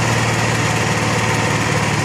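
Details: Honda EXW171S gas welder/generator after fuel system restoration, running to burn carburetor fuel; fuel cutoff valve working, oil clean, air filter good. Smooth, steady buzzing run without surging, misfire or rattle; running healthily.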